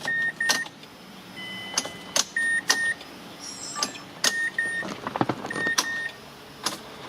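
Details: Mazda CX-7 (2006–2012) at key-on: dash chimes and sharp clicks but no starter whirr or cranking; fuel pump gets power, no-crank no-start traced to a bad starter fuse.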